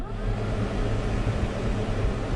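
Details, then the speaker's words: Case IH 7130 Magnum tractor, about 3,300 hours, key on after fixing a failed cab solenoid that caused start-and-die: low, even whir with steady pitch and no scraping or ticking; cab blower fan working properly. "I'm going to turn the key in the on position or a check for cab fan blower fan"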